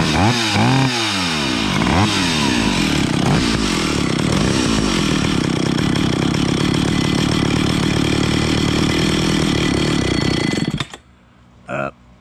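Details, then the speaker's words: Vintage Stihl 031AV chainsaw with rebuilt Walbro carburetor, being adjusted: revs climb to a thin screaming high-pitched whine and hold before cutting out, leaned out too much; lean running mixture. "too much leaned her out too much"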